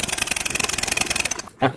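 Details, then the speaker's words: Yamaha NMAX new scooter after fitting a new fuse, soldering the side-stand switch wire and cleaning the ground wire: fast, even starter whirr with quick regular pulses, then cuts off; starter now spins strongly, unlike before. "Wih, starternya langsung kenceng ya putarannya ya, nggak kayak tadi awal ya."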